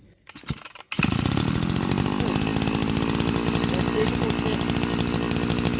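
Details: Type 328 brushcutter engine converted from a float carburetor to a diaphragm-pump carburetor, cylinder flipped to the top, idle adjusted: catches after a second, then a fast, even two-stroke buzz that holds steady without stumbling. Normal running.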